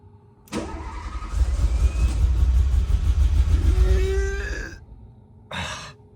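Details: Renault Alpine GTA Turbo left for years in a storage locker, repeated starting attempts: starter churns steadily for about four seconds with faint fuel pump whine, but it never catches; no start before starting fluid.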